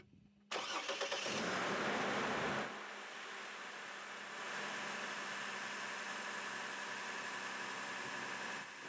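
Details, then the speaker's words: 2003 Chevy Trailblazer I6 near 200K miles with a front-of-engine noise that went away with the drive belt off; the fault was traced to the alternator. Reinstalled factory alternator and belt: cranks, catches, flares, then settles to a steady idle with no whine or squeal. "you guys have no idea how relieved I am that it's not a engine noise in this thing because I really thought it was"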